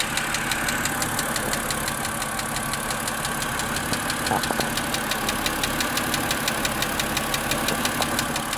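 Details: Car with recurring ticking on a chilly, cloudy day, second start of the day: steady light ticking about three per second over smooth idle, increasing with throttle and disappearing after 15-20 minutes; cause unknown.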